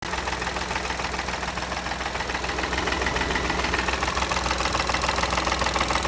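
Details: Steady idle with a regular knock about three and a half times a second. Engine knocking at idle, source not yet pinned down.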